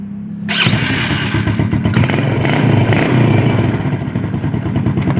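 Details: Yamaha Jupiter Z robot that would not electric-start, tested after fitting a new starter motor (dynamo): a quick crank catches straight away and settles into a steady, even idle, so the electric start now works properly.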